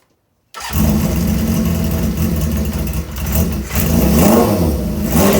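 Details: Honda CB550 cafe racer on a stand, started after carburetors and tank were fitted, in a preliminary setup with a lithium battery: catches at once, then a rough-edged but even exhaust note that swells cleanly with each throttle blip; a squeaky noise was noted; running normally.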